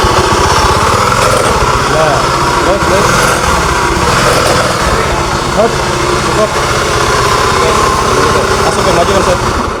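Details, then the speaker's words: Honda Beat FI scooter running: harsh, gravelly rumble, and it jerks like a horse when throttled; owner reports jumpy starts. "oke teman-teman memang benar di sini Suaranya sangat kasar ngogorongsong dan saat gas ditarik ini loncot seperti kuda"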